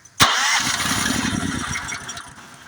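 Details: Honda GX390, key start: electric starter churns steadily about two seconds without catching; a spark tester showed no spark, traced to a faulty low-oil sensor (yellow wire) cutting ignition.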